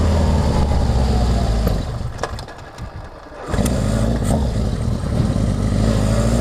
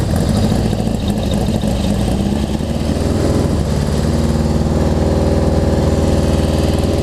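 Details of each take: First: Honda CB750 on its first test ride after a full engine and carburetor rebuild, pilot jets tuned, cold at about 50°F with no airbox: sharp exhaust pops as the throttle eases off; needle and main jet adjustment is probably needed. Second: Honda CB750 four after a full engine and carb rebuild, pilot jet tuned on the stand, cold (about 50°F), no airbox: steady, even burble at idle with no knocks or misses, picking up briefly mid-clip; normal idle.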